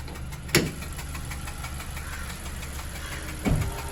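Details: Honda Civic engine at steady low idle with two sharp knocks about three seconds apart over the hum; intermittent engine knock, cause unknown.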